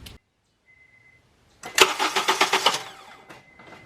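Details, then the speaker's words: 2011 Honda Accord during power steering bleed: relay click, then about a second of even starter cranking with no firing; repeated to check fluid level drop. "Now we're going to crank it again and see if it still goes down."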